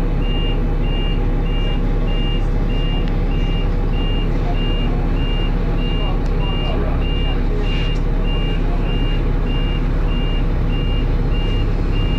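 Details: First Manchester Dennis Arrow bus R443ULE, with a slipping ZF gearbox: dashboard alarm beeps about twice a second over a rumbling diesel idle; the bus possibly overheated, as the driver apparently called the depot mentioning temperature.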